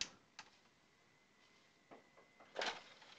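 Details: Xbox 360 disc drive after repair of a sticky, stuck tray, final test: quiet room, a few light clicks, then a brief motor whir and latch clack as the tray closes and opens; tray now works normally.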